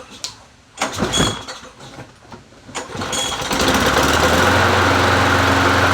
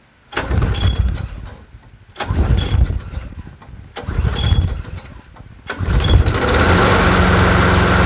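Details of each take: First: Free Bolens 22-inch push mower, 4.5hp Quantum engine, listed as non-runner, gas smells old, engine not yet warm: catches after a few pulls and runs roughly for a few seconds, then stalls; doesn't run the greatest. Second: Bolens 22-inch 4.5hp Quantum push mower, a free non-runner, started on a table after priming: three pulls, fires on the fourth and runs a smooth, steady hum without sputter; sounds not bad, though it needs an oil change.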